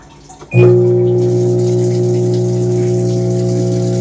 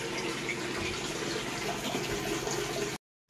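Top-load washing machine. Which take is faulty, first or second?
first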